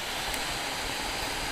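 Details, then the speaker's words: Steam Deck at 15 watts, stock on stable update, pressing on the Steam logo: smooth, airy fan whoosh with even tone, the high-pitched whine reduced a little; whine returns when pressure is released. "So if you press in on the Steam logo, the valve logo, the whining, high-pitched whining goes away a little bit. So it's just a whoosh."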